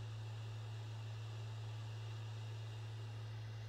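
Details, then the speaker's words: PS5 Blu-ray drive copying a game disc to the SSD gives a steady low hum with soft hiss and no rattle or buzz, after the loose side panel that caused the rattling was secured. "no more noise no more rattling sound only the smooth sound of disc spinning inside the blu-ray drive"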